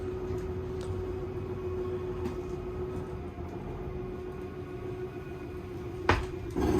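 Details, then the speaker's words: Zinger 290KB travel trailer slide-out run out by holding the out switch: steady motor hum for six seconds, then a short grinding chatter at full travel, the normal sign to release the button. "And if you want to run it out, hold the out switch. It'll make a little grinding sound when it's all the way out. That's how you know to let go of your button."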